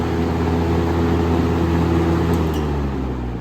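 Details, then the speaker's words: 1996 Lakewood 223 20-inch box fan on high speed before restoration: loud steady drone with a harsh grating edge, fan shakes slightly; rough running noise, cause not yet clear. "oh goodness hear that yeah not the best sound that's like the the fan collector's equivalent of nails going across the chalkboard"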